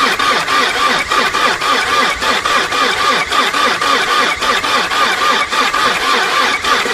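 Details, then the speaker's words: 2003 VW Passat TDI diesel, AVB engine, hard to start mornings: the starter turns it over slowly at about three labored compression pulses a second and it never catches. Cranking judged too weak for a diesel, which needs a strong starter and battery. "هذه دورة راهي ما تخدمش موتور مازوت. موتور مازوت لازم يحب دمرار قوي وبطارية قوية."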